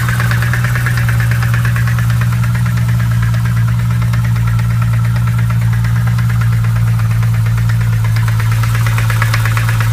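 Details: BMW M3 E92 engine at idle with a steady, rapid ticking knock over an even hum from inside the engine, cause not pinned down; engine knocking.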